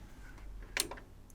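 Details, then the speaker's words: Kenwood A-85 amplifier bought as spares or repairs: a single crisp protection relay click, with a faint second tap, over low mains hum; relay clicks in and the unit is on, but no voltage on either outlet. "it's definitely on I can hear the relay clicking yeah got nothing nothing in either side"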